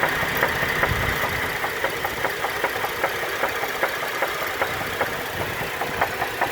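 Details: 2010 GMC Acadia with 79k miles, idling: a sharp, regular knock tapping two to three times a second; codes P0300, P0301, P0303, P0305, P0193.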